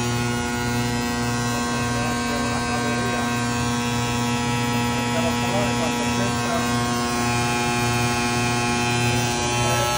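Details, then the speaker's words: Trane 500-ton centrifugal chiller, star contactor: loud steady mains-rhythm buzz with a hard humming edge that persists; faulty magnet, contactor to be ordered and replaced. "estrella pero es que sigue solando tiene problema con con el Magneto así que tenemos que ordenar este contractor para cambiárselo"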